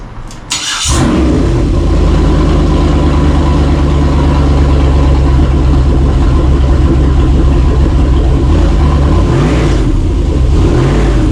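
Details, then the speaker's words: 2003 Yukon 5.3 L LS V8 on engine stand for swap into a 1994 C1500, first start after plugging in the body control module: catches after a brief crank and settles into a steady, even low idle, no knocks; normal idle. "hell yeah is that is that first time yeah well that was it we got it out and we got it running"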